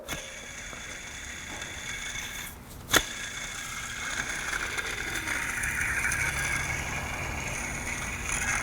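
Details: 2004 Honda Element with K-series engine, old serpentine belt tensioner removed and its pulley spun by hand: gritty, uneven scraping whir from the rough bearing behind the belt screech; worn belt tensioner pulley bearing.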